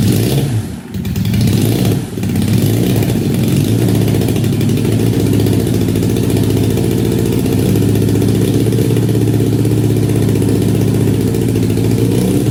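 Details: 1968 Honda CL175 with a 300cc supercharger, first kick-start in 30 years, on a car battery, about 92°F garage: a loud single that settles to a high, steadily pulsing idle. Cause unconfirmed; suspected vacuum leak, off carb jetting or oversized blower.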